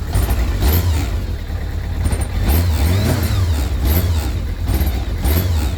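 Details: Kawasaki ZR-7 engine blipped repeatedly: deep, uneven lumpy throb rising and falling roughly each second, bad engine noise; cause unclear.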